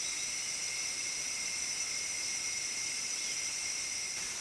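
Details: Gas regulator station gives a loud, steady, piercing high whistle with several shrill pitches, persisting about a year, sporadic at first, constant since May 2017; cause undetermined, gas company working on a fix.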